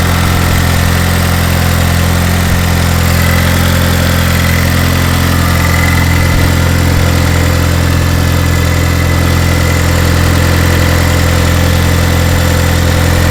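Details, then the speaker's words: Turbo Chevy HHR SS Ecotec, cold start in cold weather after sitting since October and being reassembled: brief sputter at startup, then a smooth, steady low idle with an even hum, no ticks, knocks or surging; normal cold idle. "seems okay all right so it seems like everything's okay as you can hear cars sputtered a little bit when we had to start it up"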